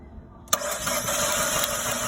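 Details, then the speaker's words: 2012 Fiat 500 with no-start: injector pulse and spark confirmed, MAP sensor code, sticky throttle body. Starter spins fast and light with barely any compression pulses, no firing; low compression or flooding suspected, not confirmed. "okay good spark one more time okay all right it's got spark and um it sounds like there's there's low compression so so I'm going to pull the spark plug see what it is maybe maybe it is low compression maybe it's just flooded"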